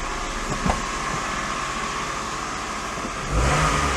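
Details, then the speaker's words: Daihatsu Sirion running with the drive belt removed: plain engine running with a brief rev near the end, the accessory whine gone, so the noise was belt-driven, likely the water pump; normal running without belt. "yep noise is gone I know it sounds awful but I don't I think that engine does sound awful I think it's just how they are"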